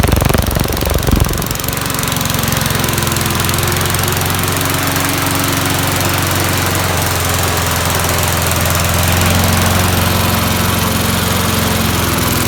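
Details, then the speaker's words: 1988 MTD self-propelled mower, head just refitted, running on premixed two-stroke gas after water in the fuel; fires up, settles into steady even buzz, no misses or knocks; runs not too bad, normal running. "okay so it runs not too bad"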